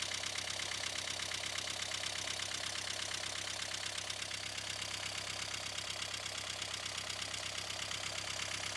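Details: 1.5 dCi diesel at idle: clatter pulses about three times a second with a hunting rhythm; unstable idle from faulty fuel pressure regulator.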